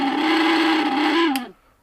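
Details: Mixer grinder motor running on a test board before repair: steady, buzzy mid-pitch whine with a coarse edge, winding down at switch-off; loosely mounted motor.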